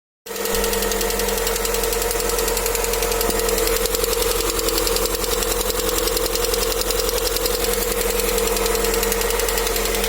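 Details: Lada Vesta, 575 km, in engine break-in: light, fairly regular tick over the idle at two to three per second; dealer says it's normal for a new car and it needs to be driven to 2000 km. Engine knock, source unclear.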